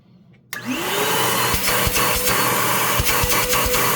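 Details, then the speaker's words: Secondhand Bissell PowerClean OnePass (35831) upright vacuum, very dirty, running with the bin removed after sounding choked: motor spins up to a steady, even whir with clean airflow hiss, no wobble or grinding; motor sound. "yeah there we go so it actually sounds fine pretty much I mean with how much dirt has obviously gone through it I can't really give it too much grief"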